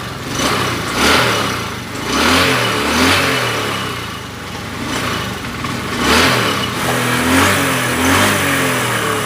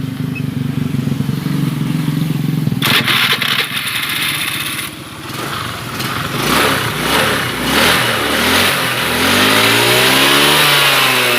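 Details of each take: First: Honda Beat FI 110 scooter with hard starting and stalling whenever the throttle is released: revs freely when blipped but sags and stumbles at low rpm. Mechanic first suspected a weak fuel pump; the cause was exhaust valve clearance set too tight. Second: Honda Beat FI 110 after setting valve clearance to about 0.5 from too tight: fires up, blips and settles into a steady idle without dying when the throttle is released. Stalling fixed.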